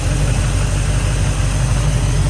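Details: Carbureted engine during carb tune, vacuum gauge reading about 13 inHg dropping to 11 in gear, power valve judged about right; low, even idle rumble steady under gear load, no stumbling or hunting; normal idle in gear.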